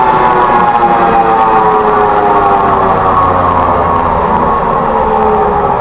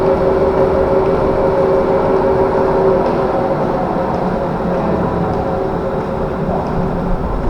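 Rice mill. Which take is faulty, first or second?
first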